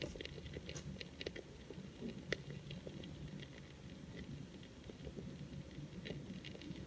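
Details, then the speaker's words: 1967 Elka Panther 100 germanium transistor organ with loud hum and no key sound: faint irregular crackling, bubbling and popping over quiet hum; suspected leaking electrolytic capacitor in power amplifier section, unconfirmed — crackling noise. "so something is cooking inside so one of the capacitors is leaking out extra electrolytic fluid i can i can hear it bubbling but i cannot see it"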